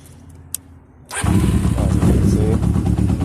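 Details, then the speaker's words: 1991 Kawasaki Ninja 600R after its sputtering issue was fixed: engine catches at once and settles into a steady, even idle with no stumble or misfire; ridden for hours since without problems. "it turns out with no problems now uh I wrote it all day you know for a couple hours today no issues whatsoever"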